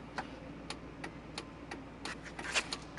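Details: 1999 Chevrolet Silverado: sharp dry clicks about three per second from under the dash like a ticking relay, stopping when the brake pedal is pressed and returning when released.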